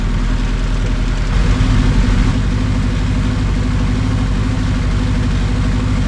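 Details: KRX first start after a budget 500HP+ fuel system upgrade, recorded from outside on a tripod: strong, steady engine drone with an even beat and no knocks or misses, a healthy first start.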